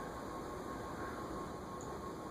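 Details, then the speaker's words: 1983 KDK Royalaire 52-inch ceiling fan D52YU, 16-pole motor on solid-state speed control turned up to a middle setting: faint steady electrical hum with thin whine over soft airflow hiss; noise said to go away on high. "five six you can hear that it's pretty noisy"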